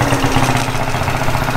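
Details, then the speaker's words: 50cc Japanese quad after carburetor cleaning and fresh gas, started with a drill because the starter clutch failed: small single buzzing at a steady, even idle with a quick regular putter and no stalling or hunting; it runs well. "so with that that's a wrap for today quad runs pretty good"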